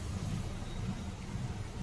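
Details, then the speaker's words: Honda City petrol engine with an extra CNG fitting, revved at start: uneven, lumpy rumble that stumbles instead of revving cleanly, with the check engine light blinking; a misfire traced to faulty ignition coils. "Car के अंदर missing है। Acceleration proper नहीं है।"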